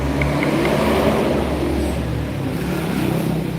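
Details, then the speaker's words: Engine after reboring and new piston, piston installed backwards: revving up and down with hard rattly knock following revs; reversed piston causes louder knocking and connecting rod noise. "ini udah jelas ya Mas masalahnya disini yaitu piston yang terbalik akan menimbulkan suara ketukan yang lebih keras kemudian setang seher Hai stang seher nya bunyi"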